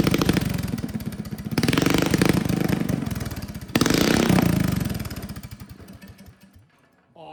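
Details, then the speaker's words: Old Russell 196cc four-stroke mini bike engine after a carb rebuild (jet and emulsion tube drilled out) and the throttle arm tightened for the broken idle screw: quick, fairly even single-cylinder firing as the throttle opens, then a clean shutoff. Normal running. "Awesome, it sounds so cool. Oh, I'm so proud of myself."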